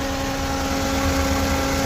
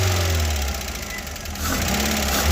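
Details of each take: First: Freshly rebuilt engine at first start, timing redone several times, idling a few minutes in: tappet noise has faded, steady even petrol idle with no ticking under a loud radiator fan; normal idle. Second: VW Golf Mk1 on the first start after a first-ever home engine rebuild, left idling to warm up. Light fast ticking of about four per second is tappet noise, hoped to fade at temperature; it becomes less aggressive. A separate alternator belt noise needs belt tightening.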